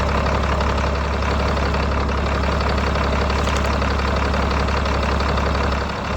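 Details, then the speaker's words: Older diesel donor truck with 5-speed transmission, planned powertrain donor, at idle: steady low clatter with an even beat and no knocks, a little smoke; good oil pressure; sounds healthy; cause of smoke not yet known. "It's got a little smoke to it. Sounds good. Sounds filthy."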